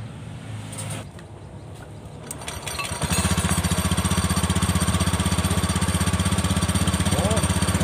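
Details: Honda Beat FI scooter after CVT repair for a "kletek-kletek" rattling noise: fires up about three seconds in and settles to a steady, even beat with no knock from the drive; healthy.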